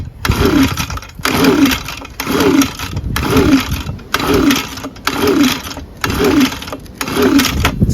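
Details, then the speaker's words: Echo ES-250 handheld leaf blower shredder, no-start, on a 26°F day, after oil poured into cylinder: repeated free, light pulls with no firing and no compression whatsoever. "easier to pull now that oil in there it's really easy to pull with no compression whatsoever"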